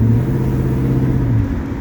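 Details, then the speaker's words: Classic car V8 on a road drive after floor welding: deep, even rumble pulling cleanly under acceleration, no misses; driving well after a clear-out, though it occasionally coughs and splutters and the owner thinks the carburetor needs more tweaking. "well i gotta say she's driving lovely she just wanted a good clear out that's all picking up nice"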